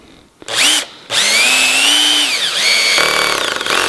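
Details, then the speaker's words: Cordless drill with clutch set to 4 driving a screw into timber: whine sags under load then fast rattling buzz as clutch disengages the driveshaft, screw left just proud of surface; clutch slipping, set too low. "clutch has disengaged the driveshaft and the screw is just proud of the surface"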